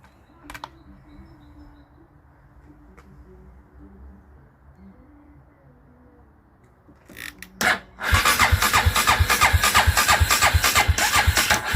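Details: Dinli DL901 450cc ATV, spark OK, won't start: quiet, then cranking with heavy chugs about three a second that never settle into running; ignition timing thrown off by a broken magneto rotor woodruff key.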